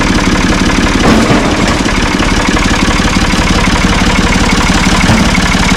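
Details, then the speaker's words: Ford 445 diesel tractor, thought to be a 1970s model, bought at online auction: steady, even diesel clatter at a settled idle, firing regular with no misses or odd knocks; it starts and runs well. "I think it's going to be a good tractor though. It starts up good, runs good."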